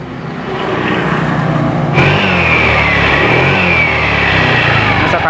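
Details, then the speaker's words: Honda Vario 125 scooter after the CVT clutch rubber (karet ganda) area was shimmed and parts replaced for a tek-tek clicking noise; idle then throttle blips rise and settle smoothly, clicking gone, normal CVT operation. "prosesnya lebih lancar dibandingkan sebelumnya. Jadi, ketika kamu menggerakkannya seperti ini. Oh, sudah hilang. Saat Anda menghentakkannya, itu sudah tidak ada lagi. Tidak ada lagi suara klik ."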